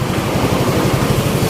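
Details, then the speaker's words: Yamaha Nuvo Elegance 135 automatic scooter after engine overhaul and water pump work, warming up: steady, even idle with smooth low putter, no knocks or rattles; slight cold-start noise fades when warm, engine runs cleanly. "ดีเงียบดีนะครับความรวมก็โอเคนะครับยังดีอยู่นะครับ"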